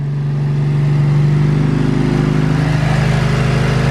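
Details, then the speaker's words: Nissan S15 SR20 warm idle after fixing a noise that appeared only once the oil warmed up: smooth, even idle with steady low hum, no rattle or tapping after five minutes; sounds healthy. "the most quiet SR on the planet so yeah we'll let it idle for a bit more soon though and then we can go for some tests"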